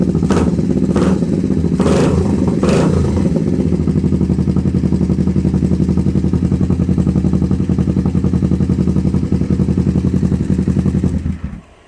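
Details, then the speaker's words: Twin-cylinder engine started after clutch checked and speedo cable cleaned and regreased; uneven chuffing idle around 220 pulses a minute, both cylinders firing but lumpy, then it cuts out; rough running, cause unclear. "Alright, we are running on both cylinders. Sounds like shit, but the engine runs pretty decent."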